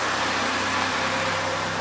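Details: Second-hand Triumph Dolomite 1300 engine just fitted to a Gentry MG TF Replica, ticking over at temperature with almost 75 psi oil pressure: steady, even tick-over with a constant hum and no knocks, misses or rattles; healthy.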